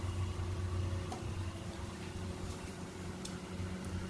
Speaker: Okay, I was just able to turn on the hot tub pump. You can hear the click. This would be the second pump that starts up.